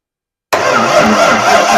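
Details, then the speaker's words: Budget-build 302 V8 on a temporary starter hookup with a battery charged overnight, after a previous day's weak cranking was traced to the batteries: starter now spins the engine briskly and evenly with a strong steady churn; normal cranking. "That sounds a heck of a lot better than it did yesterday. That sounds like it's got enough juice to start."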